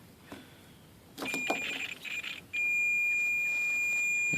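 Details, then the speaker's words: 1998 Jeep Cherokee XJ rear hatch power lock harness, continuity test on black-pink wire while wiggling: meter tone stutters and crackles in broken bursts, then holds; broken wire inside harness, fixed by running new wire. "wiggle you hear that crackling so so that wire is broken somewhere between it's like I said it's probably in there"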